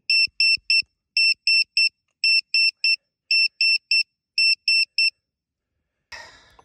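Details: Brushless Losi 5T (Castle 2028 800kv, Hobbywing Max5, 8s from two 4s 9000 mAh packs, ESC cutoff set to intermediate) after a run: five quick sets of three shrill beeps from the cell checker, warning a 4s pack is too low at 12.4 V.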